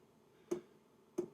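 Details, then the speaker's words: Hcalory Toolbox 2S Plus portable diesel heater self-priming: two crisp, isolated fuel pump ticks about two-thirds of a second apart in a quiet room; normal priming. "and that's the pump running. The unit's just primed itself, and if you did want to self-prime it, just press and hold the plus and the minus down for 2 seconds, and you can hear the pump tick, and it primes it."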